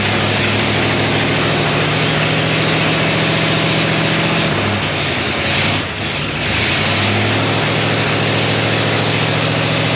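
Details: 1937 Ford with 59 AB flathead V8 after radiator recore and coolant refill, run on hot day through straight-pipe dual exhaust, possibly cammed, recently out of gas: loud deep lumpy burble, quick blip, steady rumble. Healthy normal idle and rev.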